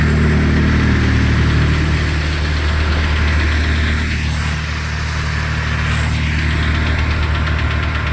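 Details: 2008 Renault Logan 1 at cold idle: fast, fairly regular rustling chatter, about three beats per second, over engine hum, appearing about 1:25 after starting and heard in the cabin; source undetermined, owner unsure if normal.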